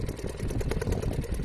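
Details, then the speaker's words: Restored Seagull 40 Plus two-stroke outboard running in the water at the beach after warming up: a quick, even rattling beat with no misses or stumbles; normal running, ready for sea trials. "Here we go, wish me luck. Yeah, it's beautiful. It's doing everything it should. I mean, I assume it's doing everything it should."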